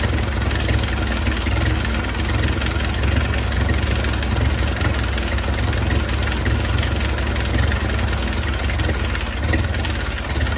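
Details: 1931 Ford Model A four-cylinder, long stored in a barn, idling after distributor cam adjusted for more ignition advance and idle turned down; low steady idle with loud rough exhaust note, no dropouts; running a little better, normal idle.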